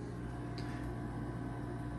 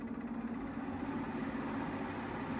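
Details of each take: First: Midea U-shaped 10,000 BTU window air conditioner, new, in quiet mode: low steady hum with soft even fan rush, no knocks or rattles; normal quiet-mode running. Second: New Midea 10,000 BTU U-shaped window air conditioner at first start, cooling on auto at 22: steady low hum with buzzy shaking rattle over the top, which then goes away. Vibration shaking noise at startup.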